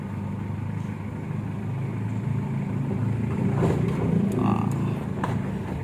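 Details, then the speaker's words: 2013 Mitsubishi Strada Triton GLX diesel in 4H, turning right after replacing left and right CV joints and the transfer chain: smooth steady drone, no clicking, knocking or chain rattle; earlier noise gone. Normal 4WD drivetrain while turning. "ya Jadi untuk empat kali empat nih Mantap Lur sudah tidak ada bunyi lagi Alhamdulillah"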